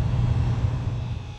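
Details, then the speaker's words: Heat pump with Copeland compressor, 208 V supply, equalized about 132 psi, 74°F suction line: low heavy compressor hum sags and winds down within a second and a half as the breaker trips again; grounded compressor suspected, megger-tested. "tripped the breaker again"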